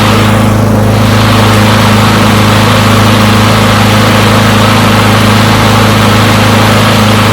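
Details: Push mower from a neighbor who said it wouldn't start, run to warm up after long disuse. Steady, even drone with a firm low thrum, no misses or surging; runs pretty good; normal running.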